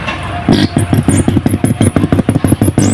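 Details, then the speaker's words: Woofer music-system amplifier board after the faulty IC was replaced, the 200 W series bulb now normal: touching a finger to the IC input gives a low buzzing hum pulsing about six times a second; the woofer IC is fine. "यानी कि तीनों IC वारी से हम इसमें उंगली ऐसे touch करके देखेंगे तो हमें साउंड मिलेगी।"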